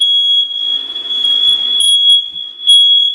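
A loud, steady high-pitched alarm tone holds continuously with brief flickers; the smoke detector is going off, cause unknown.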